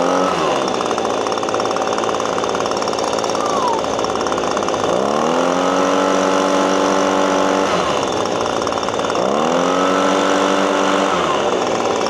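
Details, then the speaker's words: Six-year-old Echo PB-250LN handheld two-stroke leaf blower, warmed up a few minutes, new spark plug fitted: surges up from idle but flattens out short of full revs each time; not revving out, air filter next. "It's just not doing it. Maybe I'll let it run a little bit longer. Make sure it's heated up fully off video."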